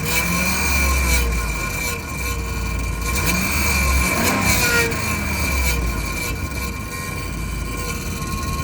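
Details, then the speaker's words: 2007 Ram 1500 5.7 Hemi, 140,000 km, remote-started: loud steady high whine over V8 idle, holding pitch, audible two blocks away; starter bench-tested fine, no leaks or rubbing found; cause unknown; transmission whine. "anyway this transmission is whining it's incredibly loud"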